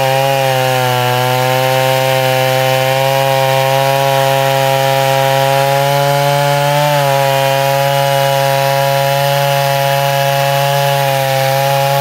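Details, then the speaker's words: Neotec 8105 (Stihl 070 clone) chainsaw, pre-refurb, carb screws untouched, half warm, cutting hard maple: high steady two-stroke scream dips briefly in the cut, then recovers to even revs; normal running under load. "But did you hear it? It's running, wah, and then goes wah, and opens right up."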